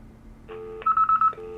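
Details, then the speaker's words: VTech CS6529 cordless handset on speakerphone with a very low battery. A quick burst of three high beeps over a low steady tone warns that it must be charged immediately. "vous entendez émet les trois bips, ce qui signifie qu'il doit être immédiatement chargé"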